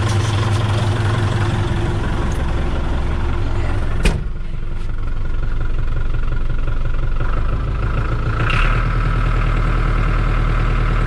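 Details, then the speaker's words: John Deere 5410 diesel tractor after clearing suspected algae-contaminated fuel: settles from a quick rev to a deep, steady idle with a slight surge, possibly air in the line, holding speed; normal idle. "Got that good snap to it. It's getting fuel. I would say my problem is conquered."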